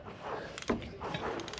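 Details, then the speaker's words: Bedford Rascal engine, previously seemed seized, turned by hand with a ratchet: ratchet clicks, a tight spot, then soft build and release of compression; engine rotates, no piston thrown. Engine turns freely, not seized. "she's away again. You can hear it compressing up, so aye, at least we know the engine turns and it's no chucked a piston through the head or anything like that."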